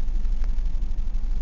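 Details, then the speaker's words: 1999 Ford Escort ZX2, 2.0L Zetec DOHC, heavy blow-by, cylinder two only 25 psi: uneven, lumpy idle with a stumbling beat and a tap that gets louder in gear, worse when warm; rough idle with misfire, lower end suspected. "you can already hear a mist and a tap and that tap gets louder as you're if you're sitting with the thing in gear"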